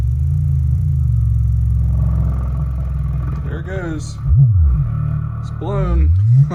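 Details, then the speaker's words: Pyle PLQB10 10-inch subwoofer in bandpass enclosure, second unit, woofer sweep test: deep bass starts rattling and buzzing with raspy upper edge, far below 500 watts output; woofer blown, smelling burnt. "didn't even make it through the test crappy man super crappy you just gotta saw the power output I didn't get anywhere near 500 watts might as well have some fun while the speaker is still not completely blown"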